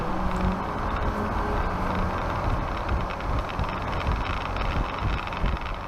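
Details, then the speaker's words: Honda Cross Cub JA10 after replacing the starter motor: steady low rumble with no grinding. It had made a scream-like noise on starting, which is now a quiet start. "Amazonで2380円のセルモーターを注文して交換しました。静かにスタートするようになりました。"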